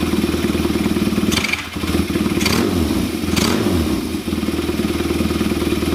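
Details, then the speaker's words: KZ400 motorcycle, Mikuni VM30 carbs back to number 20 idle jets, 2.0 slides, needle second clip from bottom, air screws about 1.5–2 turns out: lumpy idle returns cleanly, but throttle snaps sag and stumble; substantial off-idle bog back. "we drop the idle back to 20 when I give it throttle and it returns back to Idol like after I snap it it's going right back to where it was it's not falling on its face again and picking itself back up or wanting to dye itself out but we're back to the substantial FL on its face"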